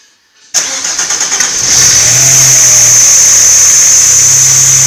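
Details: First start after a breakdown: the engine cranks briefly, catches at once and settles into a steady, even idle with no knocks or misses. It starts and runs normally.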